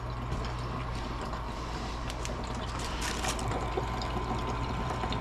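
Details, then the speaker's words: Old furnace firing after long disuse: low steady burner hum with irregular watery gurgles and trickles; owner suspects the outside condensate line for acidic condensation water is frozen. "oh that line must be frozen out there that's for the uh acidic water condensation"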